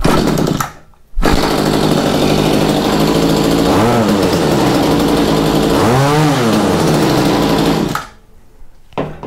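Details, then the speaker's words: Mantis tiller engine, slightly cold, after carb replacement and tuning, a new air filter and a new spark plug: an even, buzzy run with two quick rev-ups that climb and fall back cleanly with no stumble, running good. "i said i don't want to run it too long but it revs up just fine"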